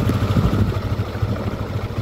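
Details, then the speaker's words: Yamaha Aerox 155 version 1 scooter just after engine overhaul, timing chain slightly worn and not replaced: fast, steady low putter that won't settle to a slow tick-over; idle set too high, needs diagnostic tool to lower. "Yun oh broandar na oh umaandar na po yan mataas lang ang menor nito."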